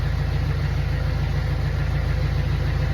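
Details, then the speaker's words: Jeep Wrangler engine idling warm before adding an engine restorer additive: deep steady drone with a light, quick tick over it; engine ticking at idle that the owner hopes the additive will quiet. "that's the ticking noise if this thing quiet quiets it down I'm going to go buy a whole case"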